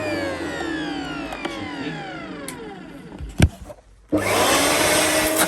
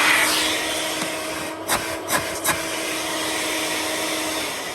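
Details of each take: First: Electrolux Twinstream wet and dry vacuum cleaner, used from a listing: motor runs with loud air whooshing from the exhaust, smells like a new motor; owner suspects disintegrating foam bits cause the noise. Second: Electrolux Twinstream wet and dry vacuum cleaner, unboxed, running normally: steady high airy roar with even motor hum, no rattles or surging; average suction, judged less than a Henry.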